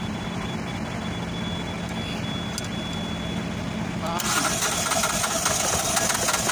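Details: Oasis150 unit that wouldn't start because diesel ran empty, after bleeding the injector fuel line: even diesel chatter settles, then the engine picks up sharply and runs steadily; started and running normally.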